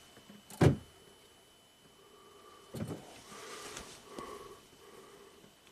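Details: 2012 Buick Enclave power liftgate latched shut, no DTCs: a short latch motor whir and clunk, then faint repeated buzzing attempts in a quiet cabin as the handle switch is pressed. The motor cycles but the gate never releases. Cause not yet confirmed.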